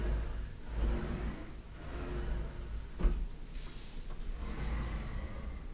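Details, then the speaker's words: Sliding closet door rolling back and forth after its squeaky, dirty tracks were greased: a soft, low rumble with no squeak or scrape, the wheels running smoothly in the track; normal, quiet sliding operation. "all right and that goes a lot smoother now - they gotta careful not to slam the door open or close but no more squeaky nests"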